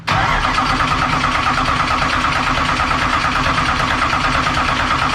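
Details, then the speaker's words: Dirt-track race car that died at practice from fuel starvation: even-paced cranking for five seconds with no firing; mechanical fuel pump not pressurizing because the hook attaching to its diaphragm came off, later rehooked and flowing. "It's not even bubbling or pressurizing. You got a problem, Mark."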